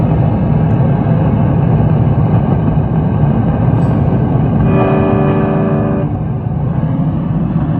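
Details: Bogner Ecstasy Red overdrive pedal on 9V battery into a 2024 Fender Hot Rod Deluxe IV with Fender American Professional II guitar: loud constant rumbling hiss even with volume and gain down, nearly drowning a guitar note; internal pedal hardware fault.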